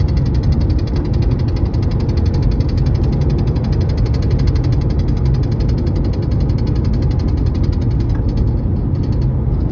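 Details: 2012 Volkswagen Passat at about 75 mph: steady fast light tapping over heavy road rumble, seemingly from the dash; occurs with AC on or off, stopped once in cruise control, returned after fuel filter replacement; cause unknown.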